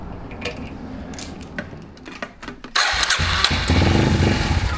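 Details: 2000 Kawasaki Super Sherpa 250cc, sat for years, cranks but won't start; fuel fed directly via disconnected carburetor fuel hose: quiet handling, then rough cranking burst never catching into a steady run; no-start, carburetor suspected.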